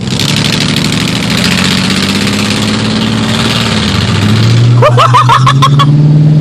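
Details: Newer Lexus SUV recorded from a following car with phone out the window, pulling away: harsh raspy roar swelling with revs; observer suspects blown exhaust manifold gaskets, not confirmed.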